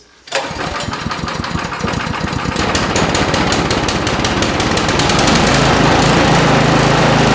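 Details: Brand-new Toro Power Max HD 828 OAE two-stage snow blower, 252cc Toro Premium engine on non-ethanol gas, first cold start after priming three times on choke: catches almost instantly and steadies into a strong, smooth, even run. Healthy.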